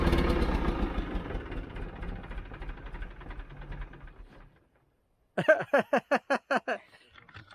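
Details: John Deere 310G backhoe diesel after a new computer was fitted and the primer pump pumped; run-down fades, then about seven starter pulses at two a second, never fires; cranks, no start, code F428 throttle sensor calibration range.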